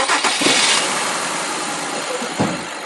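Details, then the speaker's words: 2004 Mazda MPV V6 with code P0304 cylinder 4 misfire, engine cover off, cylinder 4 at the front: cranks and catches into rough, uneven idle with irregular stumble; cylinder misfire, number four coil firing to be checked. "now we have a p304 cylinder number four misfire now fortunately on this car the cylinder number four is right up front"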